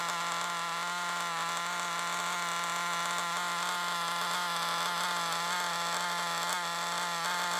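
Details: Used FTX Carnage nitro RC car after failure: shrill buzzy note with raspy uneven edge instead of clean scream; large exhaust leak at top of manifold, finger over exhaust changed nothing; exhaust to be resealed.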